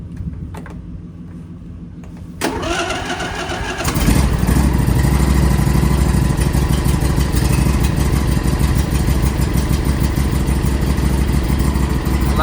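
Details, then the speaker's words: John Deere lawnmower cold-started in a shed at about 20° outside: a few seconds of cranking, then it starts right up and settles into an even, steady low idle. "started right up"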